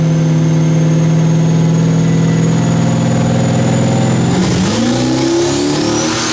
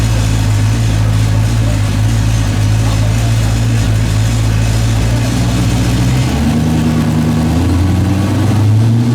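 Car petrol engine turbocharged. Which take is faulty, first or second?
first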